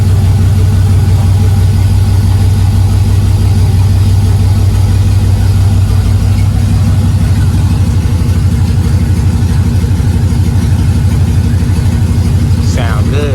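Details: 2000 Camaro SS with junkyard 5.3 LS1 block and heads replacing knocking 6.0, open exhaust, spilled oil burning off; loud deep even V8 idle with regular burble, no knocks or misfires, sounds healthy.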